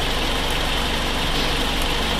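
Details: Nissan X-Trail with a suspected blown head gasket, idling during a combustion-gas block test on the coolant: smooth, even idle with a steady low pulse and no misses or stumbles. The test fluid did not change colour.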